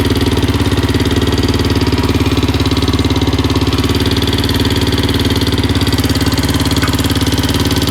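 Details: 2004/2005 Suzuki LTZ 400 single, idle after timing chain tightened; failed valve guide job by another shop: fast steady metallic ticking, loud up front on exhaust side.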